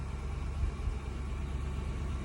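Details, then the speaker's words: Infiniti QX56 V8 with a deep rumble, uneven beat and heavier thumps; check engine light on, shakes when accelerating, codes P0300 and P0308, cylinder 8 misfire detected. "me prende la luz del check engine. No sé si se alcanza a ver ahí. Y empieza a temblar cuando le acelero. Empieza como a temblar."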